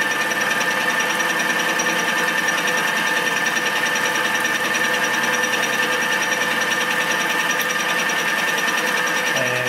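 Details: Homemade fly cutter facing scrapyard metal with a dent, spindle slowed well down from the too-fast earlier speed, light cut only: a steady, even whirring cut with no chatter or squeal, leaving a nice surface. Normal cutting.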